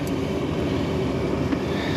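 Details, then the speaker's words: Rooftop hot-air heating unit after replacing a broken blower belt on a no-heat call: even, steady low roar of blower and burners, no squeal, slap or flutter; unit running normally, burners look good, supply temperature rising. "i don't know what's supposed to really pull that in but we're running oh let me put my meter on"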